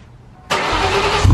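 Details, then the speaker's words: Cobra after a no-start, gas tank not yet reinstalled: brief crank, then it catches at once and settles into a steady low idle with no stumble; clean, healthy start. "all right as you guys can see it runt sounds good fired right up"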